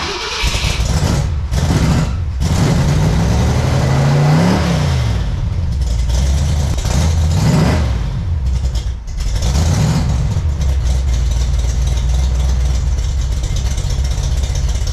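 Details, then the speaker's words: Freshly built 454 big-block Chevy for a 1972 Camaro. A deep rumble rises and falls through clean throttle blips, then settles to a lopey idle; judged a healthy engine that runs well. "So what'd you think? Pretty healthy engine, runs pretty good."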